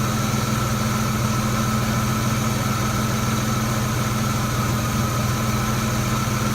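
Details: Low idle with the MAF sensor disconnected, with an uneven thump about three times a second breaking the rhythm. The persistent misfire shows no difference with the MAF disconnected.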